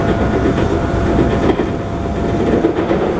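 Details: JR 221 series Yamatoji Rapid (field-added excitation control, max 120 km/h) onboard running sound between Oji and Kyuhoji: steady rail roar at speed with a repeating thump each wheel turn; wheel flat on the recorded car.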